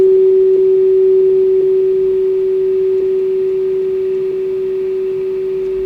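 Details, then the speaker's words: Kenwood TS-430S powered on after 10+ years in storage: clean, steady tone near 400 Hz fading over quiet hiss as the signal is lowered toward -137 dBm, still just audible; receiver passes signal properly. "Just barely hear the tone still. I can still hear the tone."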